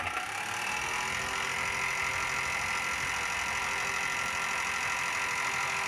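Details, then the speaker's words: Exhaust fan after oiling to cure its noise problem: spins with an even hum and faint steady whine, no knocking or scraping; sound problem solved. "तो दोस्तों अब आपने देखा कि इसमें जो sound problem आ रहा था वह 100% सॉल्व हो चुका है"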